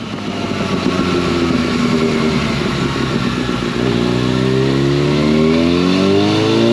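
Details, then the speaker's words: 2011 Yamaha FZ8 on the dyno with a Yoshimura exhaust, after stator and flywheel magnet repair, a sprint filter and small fuel adjustments to an earlier tune: smooth, quiet, even exhaust note rising cleanly through the revs under load, no misses or clatter; normal. "I think it sounds great on this bike. Real good, quiet sound to it. Sounds pretty good."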